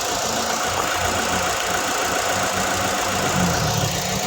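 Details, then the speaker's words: 2007 Ford Escape petrol engine idling with an uneven, stumbling beat: cylinder misfire persisting after swapping injectors between cylinders 2 and 3; one injector found spraying weakly. "Pinagpalit na namin kasi duda kami cylinder ang ano kasi miss kasi pa rin siya eh."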